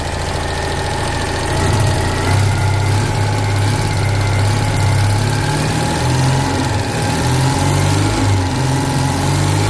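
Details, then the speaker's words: Citroen 2CV air-cooled flat twin, 135,000 miles, first cold start after about eight months sitting, no battery charger: steady even low putter with constant beat, no knocks or misses; normal idle. "that's our first successful cold start I'm a bit baffled really I didn't think it was going to start I thought I'd have to throw it on a charger"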